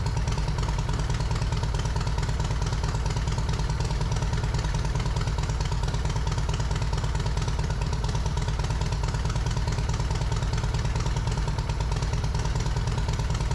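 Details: Yamaha Road Star Silverado 1700 V-twin after fitting new OEM ignition coils, plug caps, wires and spark plugs, slightly cold: deep lumpy steady idle on choke, even firing, no misses or clatter; normal idle.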